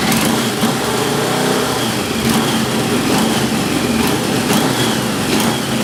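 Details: XJ650 four-cylinder with a suspected sticky valve, transmission fluid put in the cylinders, smoky running and old plugs: a steady, busy idle with a sharp tick roughly every half second over it, typical of a leaking exhaust joint.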